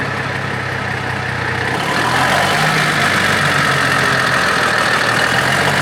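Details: Big Bud tractor diesel, first start after rebuild work: smooth steady idle with even diesel clatter, no knocks or misses, idling around 70 PSI, turbo paint burning off; sounds healthy.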